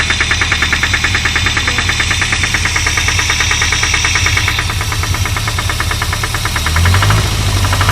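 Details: Renault 25 engine at idle: steady sharp knocking about three per second over the idle, source unknown.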